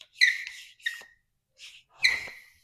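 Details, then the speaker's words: Air pressure test (about 8–15 PSI with a bike pump) on the removed heater core from a 1984 Chevy K10: short high squealing hisses in bursts as air and water escape, confirming a long-standing heater core leak. "And you're going to be able to hear the hissing coming out from here once I apply pressure and the water will begin to come out as well."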